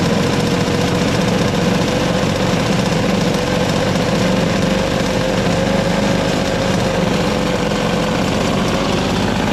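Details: Toro CR20E single-stage two-stroke snowblower with diaphragm carburetor, choke worked by hand: steady even buzzing run at constant pitch with no knocks or misses; sounds healthy.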